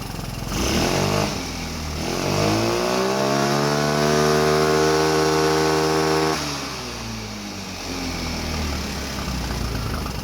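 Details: Rebuilt 150cc GY6 engine in a Blade 150 / RZR170 clone UTV, cold day, just started: revs climb smoothly, hold, drop to a loose uneven idle; idle running high, nothing really hooked up yet, smoke clearing.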